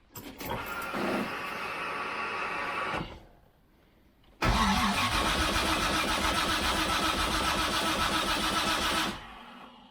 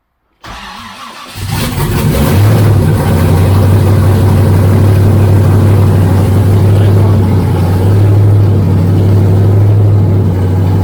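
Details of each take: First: Freshly rebuilt turbo engine with forged internals, first start attempt in park with sensors and MAP sensor connected, no fuel leaks; two spells of steady cranking at about two and a half turns a second, never catches; crank no start. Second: Freshly rebuilt engine (forged pistons and rods, 10.3:1 compression, Isky lifters) at first start; brief cranking, then catches into a loud steady even low rumble, no misses or knocks; normal running.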